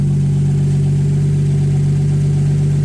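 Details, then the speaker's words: Ford Ranger with 1JZ-GTE swap after valve clearance adjustment (shims made thinner): deep, steady idle hum with an even pulse and no shake or stumble. Idle now smooth; an exhaust leak is also noted. "ตั้งวาล์วเสร็จเรียบร้อยเครื่องนิ่งเลยไม่มีสั่น"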